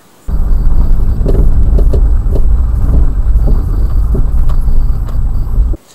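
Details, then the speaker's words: Daewoo Matiz driving slowly over small bumps: sharp, irregular heavy thuds from front suspension over road rumble; cause found as worn front lower control arm with torn ball joint boot and worn-out bushing. "сами видите удары очень сильные в общем я залез под машину посмотрел и что я обнаружил вот рычаг как видите передней подвески шаровый вместе шаровый в общем лопнул пыльник"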